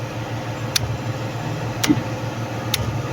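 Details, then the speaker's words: 30-ton gantry crane trolley control panel; trolley won't move at 15 Hz with motor noise, motor brake suspected; three crisp clicks over panel hum as brake contactor K7 pulls in and drops out in both directions. Contactor pulling in normally. "You see, this is the brake contactor K7. You see, it's coming in and coming out on both directions."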